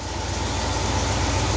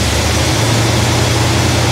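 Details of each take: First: 1971 Cadillac DeVille 472 V8 on first start with a freshly rebuilt Quadrajet carburettor: a slow, slightly uneven idle that picks up, with the fast idle set too low; the owner suspects the remaining shakiness is internal to the engine. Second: 1971 Cadillac DeVille 472 V8 with restored Quadrajet, after slightly raising the idle and reconnecting vacuum advance: steady, even deep rumble with no miss or stumble; vacuum advance kicks in and smooths the idle nicely.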